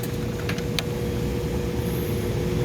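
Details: New Bryant/Carrier package unit, belt-drive blower, drawing about 8.1–8.7 amps with panels on and filters pulled. A steady low hum and airflow rush, no squeal or slap: normal blower operation.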